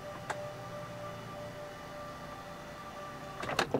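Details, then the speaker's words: Camper van bed lift actuators (power plug must be connected) running down and back up: steady motor hum with a thin whine, then a few clicks as the actuators reach end of travel and stop; normal operation. "As soon as you hear that noise, you can just stop, and then you're all the way down. Put it back up, you just push it up again. Gets to the top, and again, it's just going to stop. You'll hear a couple of clicking noises, and just let the switch go."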